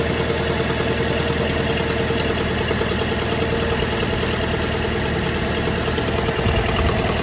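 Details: Fiat 500 petrol engine just after DIY timing belt replacement, first start: steady, smooth idle with an even beat and no knocks or rattles; started no problem: normal idle.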